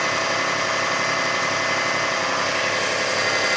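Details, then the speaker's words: 2005 Kia Sedona 3.5L after new timing belt, tensioners, idler, water pump and harmonic balancer: quiet at startup, then faint irregular raspy chatter about a minute in on high idle while warming. Source unknown. "I'm just starting to hear it. Just barely. About a minute gone by. Still on high idle as it warms up."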